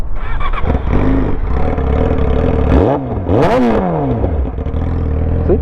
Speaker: Now, if I try to start it, the bike will turn on.